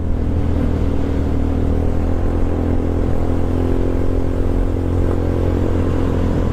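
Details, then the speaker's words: GY6 150cc trike scooter on its first ride after being brought back to running; rated top speed is about 63 mph. Smooth, steady drone under load with no misses, knocks or rattles; the owner says it has plenty of power and runs perfectly. Normal running under load. "it sounds good it runs really good i need to do a little bit of a work on the front end but i think the tires are all right they just need air and it's got power for days even though this is only a 150"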